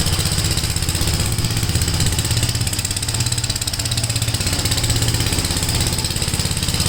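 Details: Gravely tractor running brush hog mulcher deck via PTO after clutch adjustment: steady single-cylinder chug with busy blade hum, even rhythm without shake or surging; owner unsure tractor has enough power, blade taking power. Normal running under load.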